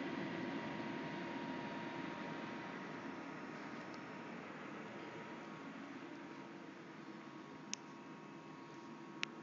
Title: Noisy cpu fan